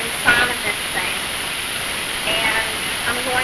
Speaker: y'all hear that hissing noise that is the steam being released from that release valve there and we want that to be hissing like that for about 10 minutes before we put our weight on top